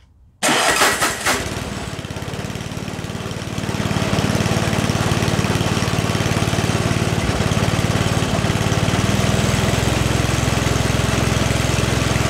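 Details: 44-year-old Toro 421 two-stage snowblower with a 4 HP Tecumseh engine, after a carb rebuild and tune and new fuel lines, on dirty oil, primed, throttle slightly up: the electric starter whirs, then the engine catches into a steady, even putter and runs normally.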